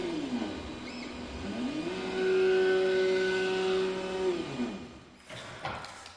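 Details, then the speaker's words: Creality Ender 3 V3 Plus 3D printer before bushing replacement: loud droning hum that climbs, holds, then drops with each left-right carriage move; x-axis vibration/grinding, suspected bottom bearing or copper graphite bushing. "And it's loud. It's been loud this whole time."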